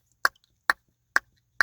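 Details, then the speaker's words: 2011 Ford F150, temperature set fully cold: sharp plastic clicks about twice a second with silence between, as the heater blend door actuator's bad potentiometer can't sense the end limit and overruns; fixed by replacing the actuator (Motorcraft YH1933). "what its problem is and why it's making the clicking noise is because there's a bad potentiometer in it and it can't sense the end limit"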